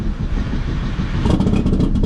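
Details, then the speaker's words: Long-sitting 600 hp Phase 5 2005 Chevy Cobalt race car with fuel leaks, just started with a big puff of smoke. Loud, lumpy, uneven note with irregular pops and stumbles. Rough running; owner suspects a horrible tune. "Oh, big puke of smoke, but I think she's going to run. Maybe it does have a horrible tune in it, so that's the problem."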